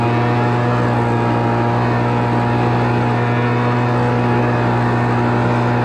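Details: Homelite Mighty Lite 26BP two-stroke backpack blower after carburetor replacement and adjustment, already warmed up: loud steady high buzz, unwavering pitch, no surging or sputter; running normally.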